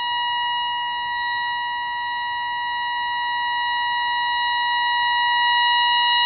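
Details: Jaws Mark 2 CB radio with no TX or RX, during receive adjustment: clean steady tone near one kilohertz comes through loud with almost no hiss; strong clear received signal.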